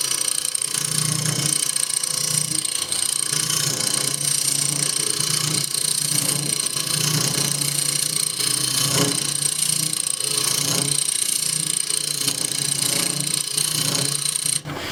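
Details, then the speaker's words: Wood lathe turning a tray blank, humming with rhythmic scraping chatter about three to four times a second as the tool meets the uneven top; vibration from the uneven workpiece surface. "can hear that vibration [Music] and from uneven top"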